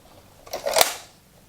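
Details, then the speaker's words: Late-1970s Ford quad 8-track/AM/FM car stereo after silicone grease lubrication of the latch mechanism: one crisp snap as the cartridge seats, then a faint tick; latch engages cleanly and positively, repaired. "and so now it grabs the tape and Pops it into position quite well now you hear it really pop in"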